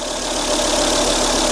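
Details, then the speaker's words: 2004 Volvo S80 after radiator replacement following severe overheating, cold idle in rain before thermostat opens: even, steady idle, no misses, knocks or stumbles; sounds smooth. "That level will stay the same until the thermostat probably opens up. Sounds smooth."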